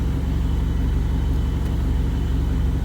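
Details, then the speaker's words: Rebuilt turbo GST Eclipse engine at normal temperature after fixing an idle surge vacuum leak: deep steady rumble with no hunting or surging, smooth idle just under 1000 rpm. "But I mean, everything's running smooth. Just trying to sort out all these little small issues."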